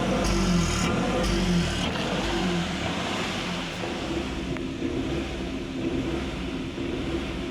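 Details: Maruti engine revving with an uneven, stumbling beat and exhaust pulses that never smooth out: a misfiring cylinder.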